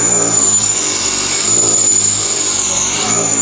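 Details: Mini Cooper S R53 at first start after mounting a rebuilt Eaton M45 supercharger: a loud, steady high-pitched whine over a rough bray. Owner suspects a leak somewhere in the system; the cause is not confirmed. Supercharger whine.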